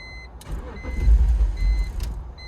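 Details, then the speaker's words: BMW E46 not run in over four years, just after a new idle air control valve was installed: the starter cranks, the engine fires a few rough, lumpy times and dies, worse than before. Crank but no start; purge valve next suspected. "What? What? That's even worse than last time."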